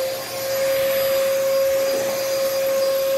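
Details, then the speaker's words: Used vacuum, one of several given (Bissell, Hoover, Shark models), with rusted brush screws; steady high motor tone over rough scraping grind with no free brush spin; brushroll seized, needs cleaning. "this brushroll is seized yeah this oh you can listen to that grind pepper grinder yeah so that brush roll is bad and it needs a cleaning"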